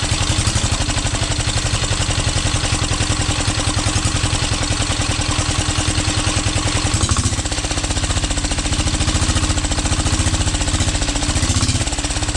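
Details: 12 HP air-cooled single-cylinder diesel, test run after overhaul; it had run once and then become hard to turn (owner suspected piston), rocker-arm valve clearance reset and oil added. Steady, even thump, about 3.5 beats per second, smooth firing. Normal running.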